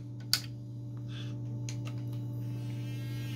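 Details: Westinghouse 37-inch digital TV model 3710, when cold: steady low buzzing mains hum from the speakers instead of audio, from a faulty 470 µF audio filter capacitor on the main board; heating the capacitors restores sound.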